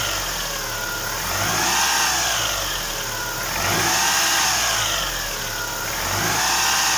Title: Стук гидрокомпенсаторов Ховер Н5 2.4 бензин